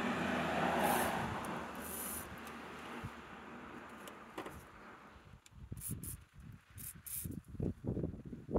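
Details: Yamaha SR125 first start in 3 years, cleaning spray put down the carb boot and open fuel hose: after a spray hiss the single fires in uneven pops, about three a second, without picking up revs; runs briefly on spray, won't rev.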